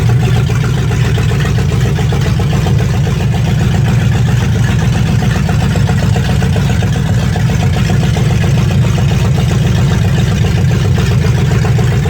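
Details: 1965 Mustang fastback 289 V8 with Tri-Y headers, first start after sitting 44 years; deep steady burble with even exhaust pulse and no knocks or rattles, though the carburetor drips and needs a rebuild: normal running.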